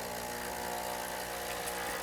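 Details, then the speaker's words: Espresso machine vibration pump after manual priming cleared an air pocket, now delivering a steady stream; steady even buzzing hum with no sputter or gurgle; normal vibration pump operation. "now we have actually primed the pump and we want to get a steady stream here and that's pretty good so we've actually primed the pump manually"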